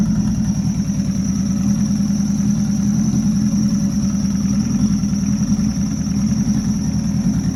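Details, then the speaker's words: Rebuilt Nissan Juke project, first runs after the build: a steady, even warm-up idle with a smooth low drone and no hunting or knocks, running on its own. The air-fuel readout was not displaying, and a small oil leak was noted. "it's running on its own that's exciting engine's warming up"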